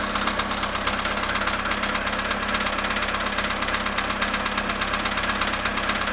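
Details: VW Polo sedan engine right after a cold start at -2 °C, after sitting 22 hours: steady idle with light regular tapping, about three knocks a second; engine knock, cause unclear.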